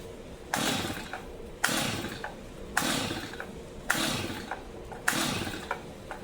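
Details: Brand-new Stihl MS 250 chainsaw that won't start, pulled fully choked after starting fluid; five pull-cord rattles about a second apart, each spinning the engine briefly without firing; fouled or flooded spark plug suspected, not confirmed.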